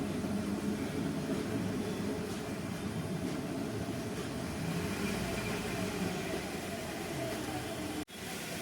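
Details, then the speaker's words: Hyundai i20 idling with clutch pressed: rough, gritty rattle on top of idle; broken clutch release bearing, replaced after removing the gearbox, which solved it. "i20 में clutch दबाने के बाद एक आवाज़ ए रहा है ये रहा मैंने अगर क्लच प्रेस किया एक आवाज़ ए रहा है"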